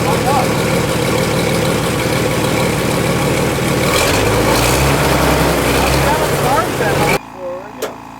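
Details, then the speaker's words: Barn-find fire truck, not run in about 20 years, first start, possibly flooded, smoking from exhaust: deep steady rumble settling into even idle with no misses or knocks; normal idle. "I told you this engine would run that sounds good it's a deep throy engine"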